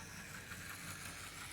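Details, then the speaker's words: Bachmann LBSC Thomas model locomotive, new motor replacing the old 5-pole, after running-in, running forwards: harsh even hissing roar, far noisier than in reverse; loud mechanism noise. "but i will say the old 5-pole motor is gone also this is running incredibly noisily"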